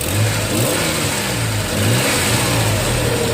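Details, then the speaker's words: Nissan 3.3 after replacing the bad injector that caused the P0306 cylinder 6 misfire, plus reconnecting a loose connector: engine revs up and settles cleanly with a steady, even note and no stumble or miss. Normal running. "but I had to pull this back off and all that didn't take very long but you know it's my mistake but other than that it sounds very good"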